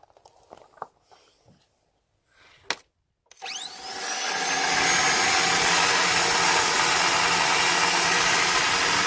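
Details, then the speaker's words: Van with starter motor spinning on by itself, stops only when the power wire is pulled; key cycling makes no difference: rising whine to steady high whir; suspected wire wrongly energising starter, possibly needs new starter. "only way to make it stop is to pull the power wire off that sounds a lot like the starter motor"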